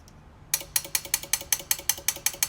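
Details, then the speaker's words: Truck train-horn kit with no relay or instructions; the air horn solenoid is tested on its own. Sharp, even, identical clicks about six per second: the solenoid switches cleanly and works. "Just want to show the solenoid clicking and my concerns. Okay. Solenoid works."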